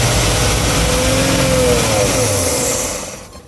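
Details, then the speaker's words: 1971 GMC Camper Special 3/4-ton, later start after 18+ years off the road: after a rough first fire it settles into a steady, even run on all cylinders with no misses, oil pressure good; fuel delivery still unresolved. "The second and third or fourth starts, I think, it sounded better and better. firing on all cylinders."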